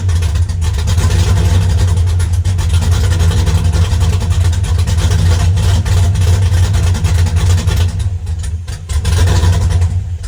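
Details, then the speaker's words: Chevy S10 with a 5.3 V8, misfiring since LS Fest despite new plug wires, idling after a fuse was cleaned and replaced: deep idle with uneven stumbles as a cylinder seems to drop out, worse than before; a bad wire or connection is suspected. "that's what we got going on before it was uh it wasn't that bad so we've definitely got an issue somewhere"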